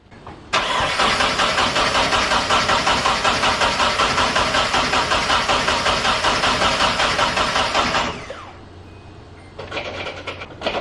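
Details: 240 car with a replacement engine fitted after the previous one blew up: the starter cranks steadily at a slow, even beat for about eight seconds, but the engine never catches. Fuel delivery is in question.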